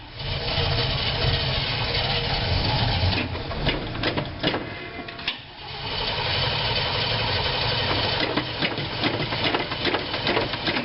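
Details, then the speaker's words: 1986 GMC Blue Bird bus, 366ci big-block with a 4bbl Holley, after throttle-linkage adjustment: the starter churns steadily at about 2.5 turns a second without firing when the choke is in; it fires right off with the choke pulled. "yeah nothing but pull the choke out and she fires right off I didn't have to give it any gness push the choke back in"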